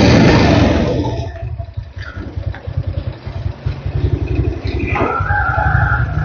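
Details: Car with over 6000 km after a weak battery was replaced, new battery at about 12.8 V: engine catches quickly and settles into a steady, even putter with no misses or knocks; normal start and idle.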